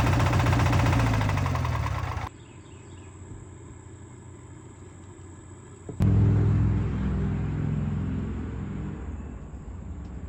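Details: Opposed twin engine running rough with a deep, regular rod knock of roughly four beats a second, before tear down.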